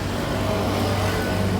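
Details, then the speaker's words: Mitsubishi Canter 125D alternator spinning with a steady low hum and a loud, rough, gritty rush; it still charges, the test lamp brightening when spun, but the bearing is worn and loose. "Dengarkan suara itu, keras sekali. Kemungkinan besar itu bantalan (bearing) yang sudah diperbaiki, Bos."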